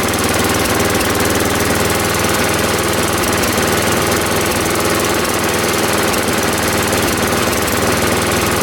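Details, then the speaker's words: Ariens 824 snow blower, Tecumseh HMSK80 engine, after carburetor repair (jets cleaned, float bowl and gasket replaced; owner believes an air leak at the old gasket caused surging): low, even idle, steady beat, no surging. "And now it doesn't surge anymore. I don't have to run it high, and I can idle it at a low speed now without it conking out."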